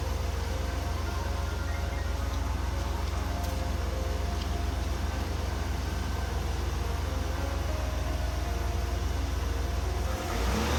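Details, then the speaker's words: 1995 Oldsmobile Aurora idling after the coil pack replacement: a smooth, steady deep exhaust drone with no missing pulses or vibration, where the engine used to vibrate from the misfire. "Yeah, it's hard to tell on camera, but it is really smooth now. There's no vibration. Before the engine would just vibrate."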